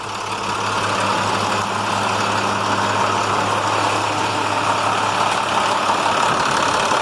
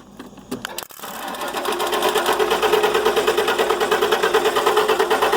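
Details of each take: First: International MaxxForce DT466 diesel truck after repair, previously wouldn't restart once warm: steady, even diesel clatter holding a constant idle while warming up, no stumbling or knocks. Normal idle, running healthy. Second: International MaxxForce DT466 diesel, hot-only no-start, starts fine cold: long, steady cranking with even pulses about three a second and no catching; injector o-rings leaking oil (injection-control) pressure.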